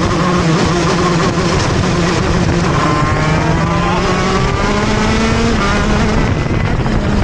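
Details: TM Racing KZ-R1 two-stroke go-kart engine on track; screaming note climbs, then pitch stalls and sags on corner exit before picking up again: engine bogs on acceleration out of corners.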